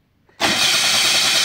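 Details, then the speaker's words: Arctic Cat Bearcat 660 snowmobile after a gearbox rebuild for worn, crunching reverse: the engine catches instantly and settles into a steady, even, buzzy run with no knocks or grinding; forward and reverse both work. "снегоход назад он тоже едет операция прошла успешно всё работает без нареканий"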